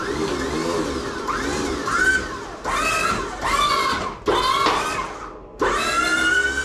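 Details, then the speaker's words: Plow truck being readied for winter, reservoir just filled: electric hydraulic pump whines in bursts, pitch sagging and climbing as the plow lifts and angles; plow works, owner suspects it needs more fluid and air bled out. "okay she works she sounds like she probably needs a she probably needs fluids she needs a little fluid I think and all the air blood out"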